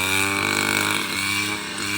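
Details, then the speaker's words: Robin NB 351 two-stroke brush cutter on premixed fuel under cutting load: bright buzzy drone at even pitch with no stumbling or cutting out; engine runs healthy. "เปิดเครื่องก็ไม่มีดับไม่มีสะดุดนะครับมีแต่น้ำมันจะหมดในเราก็ลุย"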